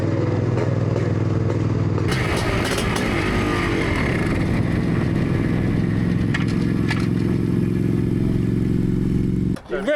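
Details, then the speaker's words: Yamaha IT490 two-stroke on a test ride after exhaust refit and carb swap, fuel on reserve, float bowl full: pulls hard with a strong buzz, then dies instantly after shifting into third; cause unknown. "up. Okay. And then just cut out. Just died instantly."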